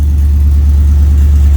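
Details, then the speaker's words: LS-swapped OBS truck V8, cold start after a spark plug check for a first-start misfire: steady, even deep rumble at a raised cold idle, no misses or stumbles. Running and idling a lot better; normal cold idle. "seems to be running a lot better idling a lot better"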